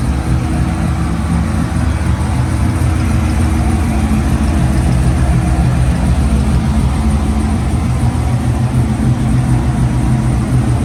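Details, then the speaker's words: LS7 Corvette after replacement GPI cam and new lifters (cheap eBay lifters had failed): deep V8 idle with lumpy cam lope, good oil pressure, no lights, no ticking or knocking, idling on its own; normal. "Sounds good. Get that oil pressure, baby. Idling on its own."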